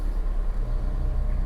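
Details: Fiat 500 salvage repair, idle after replacing the earth strap: low steady rumble with even beat, no knocks, ticks or whine; battery light off, power steering fine, earth strap was the problem, alternator fine.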